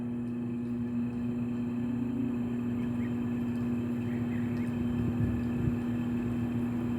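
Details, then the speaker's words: Mini split blowing only room-temperature air: outdoor compressor gives a steady low hum trying to start for a few seconds then shuts off while the fan keeps running; damaged capacitor. "Suena como un zumbido que quiera arrancar, después de un momento se apaga. Eso significa que el capacitor está dañado."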